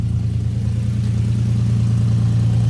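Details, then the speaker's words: 2005 Ford Mustang 4.0 V6 after catalytic converters replaced and exhaust work for a clogged muffler: smooth, even low hum at steady idle, no bogging, stumble or rattle; earlier exhaust leak possibly tightened. "but right now it's idling pretty good it's not bogging down doesn't sound too bad"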